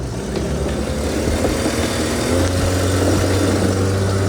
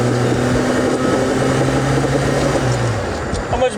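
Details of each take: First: Volvo 240 on the highway under throttle, before a new muffler, O2 sensor and header gasket were fitted: loud, raspy, blatting rumble with a rattly edge that swells as the throttle opens. Exhaust leak from a large hole in the muffler, plus muffler rattle. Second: Volvo 240 with a welded straight pipe run back over the axle, cleaned up, accelerating: even, deep exhaust drone with no ticking or rasp from leaks; exhaust sealed and healthy.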